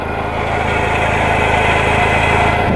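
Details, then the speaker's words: Toyota MR2 SW20: steady rough grinding rasp from the engine bay, louder near the vent; owner suspects an idler pulley or a bearing, likely not the recently replaced alternator; source unconfirmed. "But I'm almost certain that's either just an idler pulley, maybe like a bearing in the alternator."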